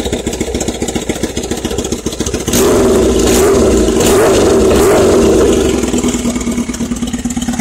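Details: Kawasaki ZX-7R first start after a wreck and four years sitting: catches, idles unevenly, then sharp throttle blips; lumpy idle, running rich.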